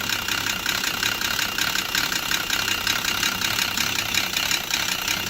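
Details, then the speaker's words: Volvo XC90 at idle, scanner shows cam position too high, exhaust too high: rough idle with sharp diesel-like smacking clatter about two to three a second; timing belt suspected jumped at the crank. "yeah so that probably means time and belt has jumped at the crank"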